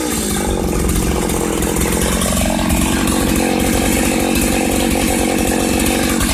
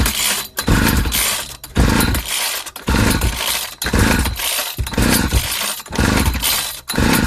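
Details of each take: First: 1995 Ardisam Earthquake 8900 auger two-stroke, late-evening cold start on the first pull: steady, even buzz at constant speed with no misses or surging; the engine is running properly after repair. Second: 1995 Ardisam 8900 two-stroke ice/earth auger (Earthquake/Eskimo), a yard-sale no-start despite a new plug, with an empty tank. It fires and revs in ragged surges for about nine seconds on carb cleaner sprayed into the intake, then dies.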